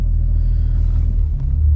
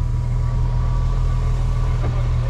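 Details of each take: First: BMW N54 with swapped DCT and Mfactory single mass flywheel, stopped in drive: low, smooth rumble with no chatter or rattle; surprisingly little flywheel noise, quiet, healthy idle. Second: BMW N54 with swapped DCT gearbox and Mfactory single mass flywheel, idling: steady idle with dense low chatter underneath; neutral gear rattle from the gearbox, flywheel only makes a ching on startup.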